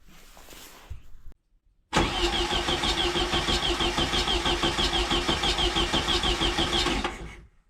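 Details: 1972 VW Beetle Domus pickup, off road since 1989, older blue Bosch coil with added resistor: after a short pause it catches and settles into an even steady putter, no misses or knocks; healthy idle.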